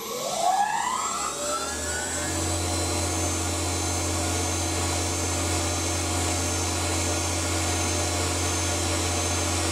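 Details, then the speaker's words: Vertical milling machine spindle run at maximum rpm: steady high whine with a faint hissy, crunchy roughness; bearings sound noisy, owner suspects coolant has already contaminated the bottom bearing grease. "it's got a slightly sort of hissy hissy crunchy noise you know it's just a little bit worrying that sound"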